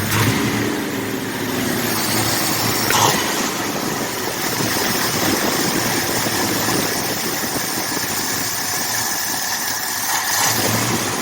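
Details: Rebuilt 1979 Ford F150 engine, warming up, temperature and oil pressure good: steady, even idle with smooth low rumble, no misses, knocks or hunting; normal idle.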